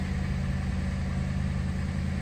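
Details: Ford Crown Victoria, first start in two months after welding work (owner feared arcing a rod or main bearing): smooth, steady low idle with even rumble, no misfire or tapping; healthy.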